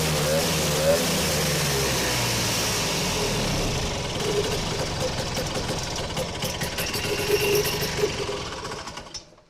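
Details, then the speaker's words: Vintage snowmobile after carb reinstall with new filter, needle and seat and fresh gas: catches on prime, runs rough a few seconds, then sags and fades out starving of fuel; problem found in fuel tank, corroded filter. "Well, that didn't work out super good. Let's see. Found the problem. It's in the fuel tank."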